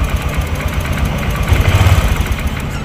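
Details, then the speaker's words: Honda Vario 150 scooter, hard to start, worse after washing: low idle stumbling with uneven, lumpy thumps; spark visibly leaking from the plug cap, causing the misfire; cap to be swapped for testing. "Ini ngeberbet parah. Nah ini jadi seperti yang teman-teman lihat ya. Jadi ada percikan api, padahal ini nggak dicopot ya. Di sini ada percikan api yang keluar dari sini."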